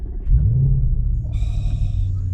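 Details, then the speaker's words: Audi RS5 V8 automatic, cheapest in the UK, cold start: quick deep flare settling into a loud, steady low rumble; healthy start, though a gearbox malfunction warning appears just after. "One thing I absolutely love about this car, so as soon as we put this in, it has got the loudest cold start I think I've heard."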